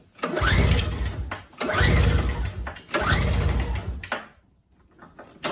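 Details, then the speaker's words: MTD 4.5 21 single-stage two-cycle snowblower thought to have sat for a couple of years: three pull-starts, each a one-second spin with no firing, after fogging oil was sprayed into the cylinder; spark plug dry, so no fuel passes the carburetor. "as you can see uh that was not enough to even start the engine"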